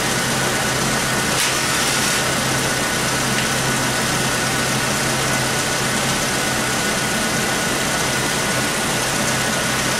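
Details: 1996 Chevy S10 2.2 L four-cylinder, over 260,000 miles, codes P0200 (injector circuit open) and P0302: slightly uneven idle with a misfire on one cylinder, still present after the injector check.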